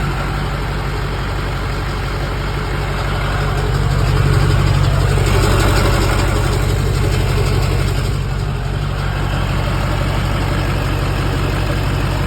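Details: LB7 Duramax diesel with hard start: deep idle with heavy pulsing beat about three throbs a second, slightly uneven loudness; rough idle, cause unclear.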